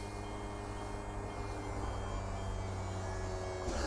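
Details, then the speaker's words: E&P Level C hydraulic self-levelling system, about 13-14 months old, on a 2020 Bailey Alicanto Grande Porto twin-axle caravan, Auto pressed with the van nose down so all legs start moving. Steady, even pump hum with no strain or grinding; normal jack operation. "so what we do now is press Auto and as you can see all the legs start moving"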